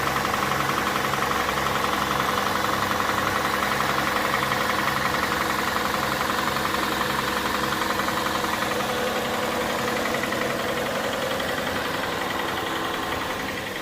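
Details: Hyundai Santa Fe 2.7 engine, cold, steady idle with a regular even knock roughly 220 a minute; source undetermined.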